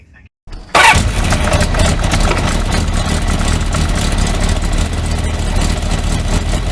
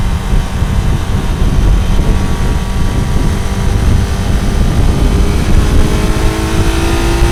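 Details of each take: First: Kawasaki four-cylinder motorcycle after head gasket torqued to 24 Nm, test run: catches quickly then idles lumpy with one pulse dropping out; single cylinder not firing, owner suspects ignition leads disturbed when coils were removed. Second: Kawasaki motorcycle after sorting out cylinder one, which wasn't firing: picks up cleanly, pitch climbing steadily as it revs, firing on all cylinders with slight roughness; fine-tuning and new exhaust still pending.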